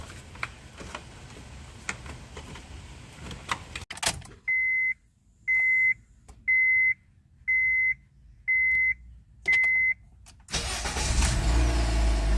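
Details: 2006 Honda Civic 1.8 with a no-start fixed by a new starter behind the engine, battery reconnected: six even chime beeps about a second apart, then the engine fires promptly and settles into a steady, even idle.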